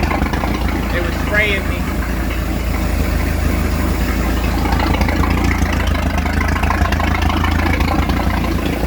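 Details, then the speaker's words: Speed boat inboard engine after repairs, started with water on; steady low even rumble with no stumbles or surges, holding normal idle; runs fine, though raw water hose is leaking. "It's okay, let it idle. Let it idle. It's good. It's good. No, it's running fine. You don't have to raise the RPM."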